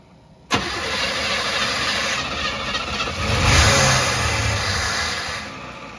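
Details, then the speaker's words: 305 Chevy fitted with a two-stroke Kawasaki KX250 dirtbike carburetor on a homemade intake: the starter cranks steadily for several seconds with a brief surge but the engine never catches; it is flooded, the carb puking gas. "Oh, she's just puking gas."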